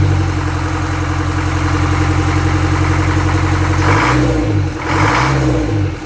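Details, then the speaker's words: Land Rover Series 3 2¼ diesel, first start after engine rebuild, hard to start: runs with a hard, uneven clatter and a couple of quick rev blips; owner thinks injection pump timing is a little advanced and plans to adjust it. "All right. Well, we're running. We're not running for too long. I think the pump time is a little advanced."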